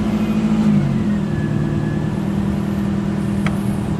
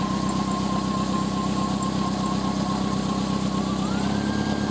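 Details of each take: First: 1998 Toyota Celica GT with a 2.2L 5S-FE after a new Bando belt on the alternator and AC compressor: starts and settles into a steady idle with no squeak at startup; the drive belt squeal is fixed. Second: 1998 Toyota Celica GT, 2.2L 5SFE: thin steady squeal at idle that jumps higher partway through, from the main drive belt around the A/C compressor and alternator; cause could be pulley misalignment or the belt itself.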